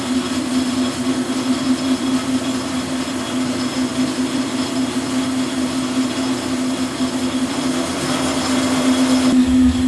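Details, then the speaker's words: Lathe facing a dividing-head spindle with a right-hand knife tool under power feed: a steady low buzzing chatter runs through the cut. Changing spindle speed made no difference, but a faster feed cut smoothly. "As you can hear, I've got a bit of chattering going on. I've played on with the speed, it'll be no difference."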